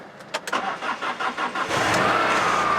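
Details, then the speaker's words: Rover 216 convertible off the road since 2013, after repairs, on a jump pack at 12.3 V: brief even cranking then a clean catch into steady idle, no misses or knocks; healthy start. "we go it's alive all right"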